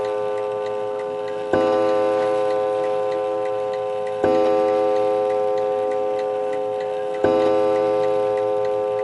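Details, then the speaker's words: Antique 1920 Napoleon hat mantle clock, strike set for 11 o'clock: clear bell strokes about every three seconds, each ringing out and fading evenly; the strike train is working properly. "I'm going to let you listen to the strike to make sure it's all working fine. So it's set to go off at 11 o'clock, so let's try it at 11 o'clock."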